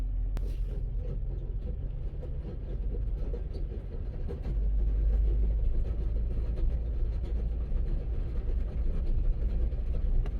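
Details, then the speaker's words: Circa 2002–2004 Chevy Suburban in two-wheel drive, coasting off throttle: deep, uneven rumble and rattle under road noise; mechanic suspects transfer case chain hitting the case, possibly front differential. "it sounds like a transfer case to be honest with you it could be a front diff but it sounds like a transfer case it sounds like the chain is is hitting uh like the case or something"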